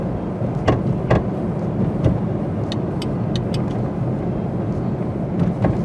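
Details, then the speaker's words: 2000–2001 Pontiac Grand Am 3.4 on road test after front hub bearing and outer tie rod replacement: irregular clunks with bumps over road noise, from a worn rear strut, unrelated to the tie rod work. "Don't mind the clunking. That's not from any tie rod work. That's just from, it sounds like the rear strut's going to blow through the trunk floor."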